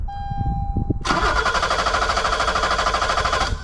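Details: 1986 BMW 325e E30 sedan that turns over but won't start: starter cranks at an even rhythm for about 2.5 seconds with no firing. Injectors get no pulse during a test-light check; speed and position sensors next, and injectors were later found clogged or low-flow.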